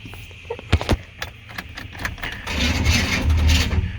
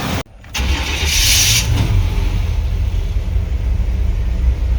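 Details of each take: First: 1995 Chevy C1500 Silverado with swapped 350 TBI, high mileage: a few sharp clunks then sluggish uneven cranking about three turns a second without starting, battery going dead; worn flywheel or starter teeth also suspected. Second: 1995 Chevy C1500 Silverado with swapped-in TBI 350: short crank with no starter grinding after a shim was added to the starter, then catches and settles into a slightly jumpy low idle it has always had; normal start.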